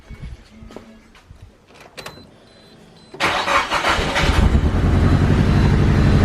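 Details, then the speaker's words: Car just collected from the port and driven to the shop misfiring: it cranks, catches and settles into an unevenly pulsing, lumpy idle, shaking, hesitating and sometimes stalling; rough running at start-up, likely a misfire. "So again, I'm not really sure if you guys can really hear this or not, but it sounds rough. Very rough actually. And part of it, I think, is that there's a misfire. I mean, it's just shaking a lot."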